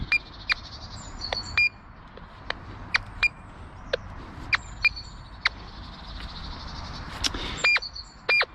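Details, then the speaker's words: Nexus MPV3 metal detector in all-metal mode over surface iron: sharp high beeps in repeated pairs with a lower secondary note underneath, the dual audio where a low tone marks iron beneath the high target tone. "As you approach it, the wire ball and the low tone is telling you that that's iron. And you get the dual audio, see? As you get the high tone, you can hear the secondary low tone in there."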